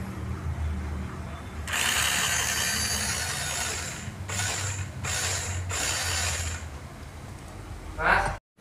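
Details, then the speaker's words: RC Rock Crawler, brought in because it would not drive forward or reverse; after the motor plate was replaced and the motor refitted and resoldered, a battery test gives four short, clean bursts of high whir with light gear chatter. Normal motor and gearbox running. "setelah terpasang kita cek lagi dinamonya bisa berputar atau tidak"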